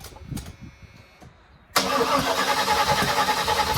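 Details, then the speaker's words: 1979 Malibu after cam and heads swap, pumped gas once: light clicks then rough cranking that never catches, fuel pushed up through the carburetor; distributor later found 180 degrees out. "You'd see it pushing the fuel right through the carburetor immediately while it's spinning over. So instead of the fuel getting drawn down, the valves are open at the wrong time and it's pushing the fuel up."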